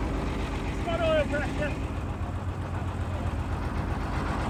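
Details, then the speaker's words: British Leyland engine in a Chieftain Mk10 tank, first run after the flooded engine had water drained, fresh oil primed and a jump start: a deep, even rumble settling into a steady idle with no knocks or misses while warming slowly. The engine is running healthy. "Now, with the British Leyland engine running beautifully, it was time to put the quill shafts back in that will connect the gearbox to the final drives, so we can see if it will drive for the first time in probably 15 years."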